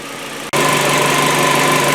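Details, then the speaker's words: Hyundai Getz, cold start after sitting a day, after Liqui Moly hydraulic lifter additive: hydraulic lifter tick lasts only 5–10 seconds, then steady, even idle with no valve-train ticking; noise greatly reduced but not eliminated. "Буквально 5-10 секунд. Затем двигатель работает ровно. Никаких постукиваний от гидриков не слышно."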